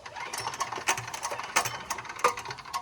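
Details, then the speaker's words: Small diesel on a mini bike, running without its compression release after reassembly: sharp, uneven metallic knocks about one to two per second over faint chugging; engine knock, something suspected to have let loose inside. "wo don't sound that bad yeah but I've got no I don't have a compression release on it now uhoh so we lost the com that's okay we'll just pull it oh yeah something let loose"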